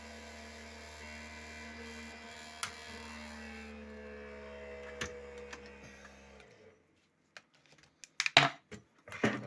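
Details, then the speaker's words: Maxinter PLUS-10AT battery charger on test: steady electric hum with a rough whirring fan tone that winds down, then handling clicks; suspected broken fan impeller, confirmed. "Так проверим на работоспособность понятно здесь скорее всего крыльчатка сломана подозреваем"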